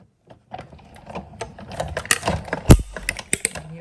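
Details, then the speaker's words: Sizzix manual die-cutting machine cranked to cut an intricate butterfly die through cardstock with an adhesive sheet, run backwards: irregular crisp crackles and snaps, which are normal. "crackling but as i said that's normal"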